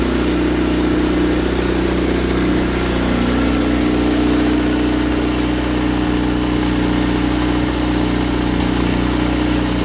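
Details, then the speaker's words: Honda swap with K24 engine (all-motor FA5 build) on first start-up: loud, raspy, steady idle through an open header, even pulses, no knocks or misses; aggressive cams noted; normal idle. "I mean, it's open header, but you can like hear it working. That's what Danny said. This sounds good. Open header, bro."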